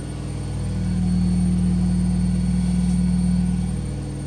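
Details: Telefunken (Vestel) washing machine during spin cycle: loud deep, heavy rumble with a droning hum that swells louder.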